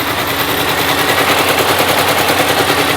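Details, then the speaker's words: Supercharged Mini Cooper S, first start after three years off the road and a coolant refill: loud, lumpy, choppy idle with uneven pulses, engine light on; owner wonders what was left unplugged; cause of rough idle not confirmed. "I hope the car starts and I hope it isn't stupidly loud. But I guess we're about to find out. We're running very lumpy."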